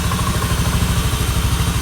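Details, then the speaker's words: Honda Beat FI (ACG automatic scooter) revving fast and holding high with no drop to idle; throttle (gas) is sticking and not returning, making the engine race, to be fixed alongside the owner's complaint of sputtering, bogging and flashing MIL. "gasnya tidak membalik tuh macet Oke nanti sekalian kita perbaiki untuk bagian gasnya"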